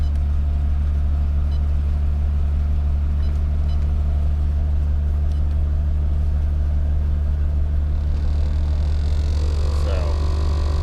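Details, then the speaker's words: Nissan 300ZX air-conditioning heater blower motor on high speed: loud steady drone with a rough, uneven throb; pretty nasty noise from the blower motor, to be removed and repaired. "as you can hear, we got a pretty nasty noise."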